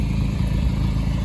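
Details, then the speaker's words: 1993 Nissan Hardbody KA24E with stage 1 cam, after timing chain job: steady low idle with a light, fast clatter over it, the stage 1 cam valvetrain rattling away. "But you can kind of hear that stage 1 cam rattling away, so."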